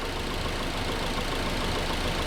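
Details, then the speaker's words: Nissan 240SX KA24 engine at idle after timing chain guide work, top guide removed, ignition timing checked: steady, even idle hum with no chain rattle or slapping; the horrendous rattling noise is gone, normal idle. "the horrendous rattling noise is gone so we only had to take it apart four three times three times only had to take it apart three times"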